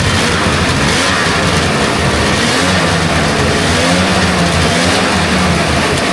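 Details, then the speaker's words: Rebuilt 1999 Polaris XCR800 two-stroke, carbs rebuilt and synced, first run briefly without coolant, lots of compression: loud continuous steady two-stroke drone, no knocking, rattles or misfires; no funny noises, sounds healthy. "And uh it's not making any funny noises. Everything sounds good."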